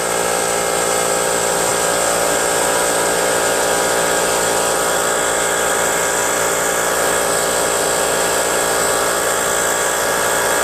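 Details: Brute 10-gallon 125 psi air compressor with Briggs & Stratton engine, after check valve work and pressure switch adjustment, cover on: steady, even drone with constant pitch and no knocks, rattles or surging; the compressor pump is running healthy.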